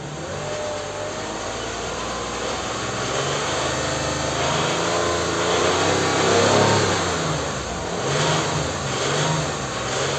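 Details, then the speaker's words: Toyota Highlander U50 3.5 2GR-FKS petrol V6, 93,000 km: runs fairly quietly, then a dull connecting rod knock from the sump area when throttle is blipped, also present cold; bearings possibly still replaceable. "Вот она сейчас не стучит но газу дам слышно стук шатуна"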